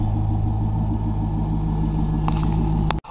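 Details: C5 Chevrolet Corvette, back running after a dash breakdown to fix a security-related no-start, not driven for about a month or more; deep, steady idle rumble with an even beat, no misses or knocks, then switched off; runs healthy.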